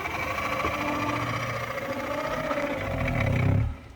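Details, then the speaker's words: Wrecked Tesla Model 3, cabin blower on speed one: rough, growling hum that swells then cuts off instead of spinning up cleanly, needing breakaway torque. The console shifted in the crash; owner hopes the blower is only pressed against the sidewall, not damaged. "yeah it doesn't sound good so usually it would come on but it doesn't it it has to break have a breakaway torque and it'll spin up and that's on speed one"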